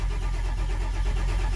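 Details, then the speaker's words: Ford Powerstroke diesel, 143,000 miles, cranking: steady even cranking with no firing; main oil pressure comes up but injection control pressure only about 10 psi, so it won't start. "but the injection pressure it's only like 10 psi"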